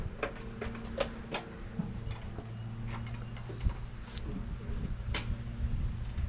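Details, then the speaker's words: 1355 diesel tractor with a battery just fitted, expected to need its lines bled, return line off the tank and spraying diesel: low, even throb picks up at once without long cranking; it started easily and idles steadily. "That's kind of crazy. But anyway, nice thing is that started so easily. It did."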